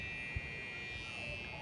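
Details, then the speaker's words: Whirlpool washing machine electronic control board that won't power on with any button. When energized it makes a steady high buzzer tone. Faulty control board power supply. "y ahí está el ruido característico que vive el cliente que hacía escuchen y vamos a encender vemos que no enciende con ningún botón y ahí pueden apreciar el ruido"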